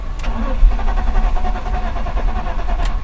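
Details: BMW E46 cranks steadily and evenly for a few seconds without catching or firing; starts only on carburetor cleaner then dies. Power confirmed reaching the pump, pointing to a failed fuel pump needing replacement.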